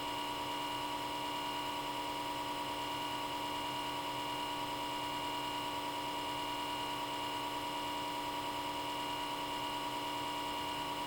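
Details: Comcast Xfinity X1 DVR cable box: steady loud hum and whine from the small left-side cooling fan running at high speed 24/7 from power-on, even when box is off, stopping only when unplugged.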